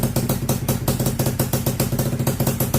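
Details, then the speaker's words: Honda FL250 single-cylinder, ice cold start with fresh fuel and battery: steady thump at about five or six beats a second, evenly spaced with no misses; normal cold start idle, running fantastic. "Oh man, she's alive. Running fantastic."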